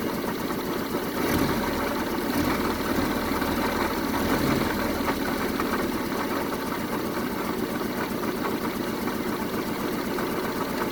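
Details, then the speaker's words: 1974 Honda Civic MK1 after new spark plugs and refitted leads, test run at idle: still stumbling with an uneven, lumpy beat and irregular pulses, a persistent misfire. Compression checks are planned to confirm the engine is good. "Well, it's running, but it's not running at its best. Let me check. It's running, but not the best right now, so most likely I'll have to check the compression on this engine as well to make sure it's good."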